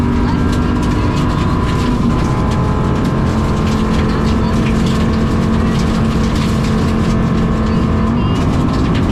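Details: SOFR 2023 stage 9 Zorn's Hollow, 3.5-mile very flat-out stage, in-car: limited 2WD rally car with dog box at full throttle, roar with uneven stuttering and irregular crackles; bad engine misfire under load.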